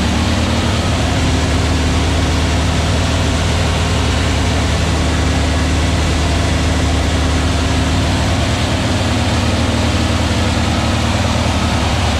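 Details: Aaron's new VW Beetle 1679cc single-port engine, Scat C25 cam, dual Empi ITC carbs, first fire-up during 20-minute cam break-in, timing set; steady even throb with deep rumble, no knocks, misses or ticks. Normal running, no leaks.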